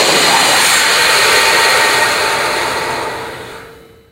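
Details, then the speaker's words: Cavitation in a control valve on a visual flow test rig: loud rushing hiss with gravelly crackle fades to quiet over a few seconds as a downstream rear valve is partly closed, applying back pressure and mitigating cavitation. "We'll show you some cavitation happening and then I'm going to close off this rear valve a little bit and you'll be able to see the cavitation lessening and it might even go away we'll see."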